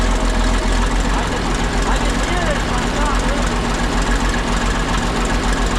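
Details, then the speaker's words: 1959 ex-military International dozer diesel, after running a couple of minutes and smoke clearing: deep, steady clatter with even beat, no stumbling or heavy knock; warmed engine idles healthy. "Well, after it ran for a couple minutes, the smoke sort of cleared up. The engine actually sounds pretty healthy."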